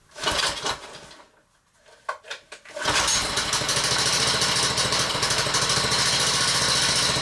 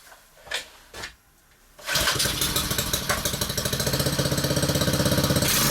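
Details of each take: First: Honda-engined whacker plate on a cushion, air filter badly clogged, ticking over with centrifugal clutch fitted: fast tickover with light metallic tinkling; clutch loose on the engine shaft with a worn woodruff key. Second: Honda-engined whacker plate with the centrifugal clutch removed, on a cushion: catches after two pulls into an even, steady tickover with no tinkling or rattle; healthy running, confirming the loose clutch as the noise source.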